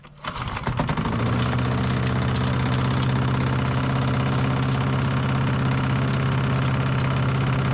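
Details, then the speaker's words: Old Masport mower, about 35-40 years old, sitting about six years on old fuel that no longer smells like fuel: starts after a couple of catches and runs with an uneven, slightly hunting beat; rough running, stale fuel suspected, plug and fuel to be replaced. "yeah it doesn't even smell like fuel anymore that's terrible no one it didn't run real good"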